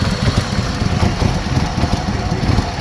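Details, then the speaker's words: Chrysler Sebring started cold, check engine light on, bank 1 entering closed loop: deep, irregular lumpy pulses, engine barely running and near stalling; rough running in closed loop, bank 2 upstream O2 sensors lazy, cause unconfirmed. "you can see the engine is now where you can hear it anyways it's barely running"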